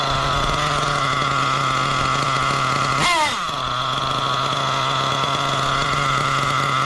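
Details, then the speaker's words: Nitro RC engine running a non-original carb, idle just lowered: high buzzing idle that sags and wavers, then dies with heavy smoke; low-speed needle still too rich. "Definitely getting close. Oh, and she died. God. See, still super rich."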